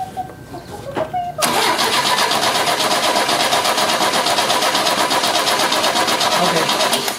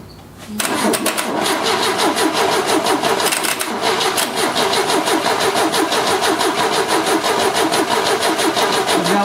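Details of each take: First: 1970 Opel GT barn find, sitting about 30 years, wet compression test while cranking: even steady starter cranking about three turns a second, no firing; cylinder reads 110 psi. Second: 1970 Opel GT barn find, sitting about 30 years, compression test while cranking: even starter chug about three times a second; this cylinder reads 115 psi, good (another read only 75); normal cranking compression.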